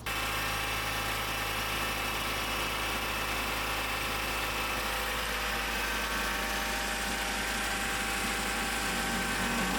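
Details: Honda CRX after a new fuel tank, Walbro 255 fuel pump and fuel filter install, with the leaking fuel fitting tightened so it holds pressure. A steady, even idle with a smooth hum and no misses, knocks or pump noise. The engine runs cleanly.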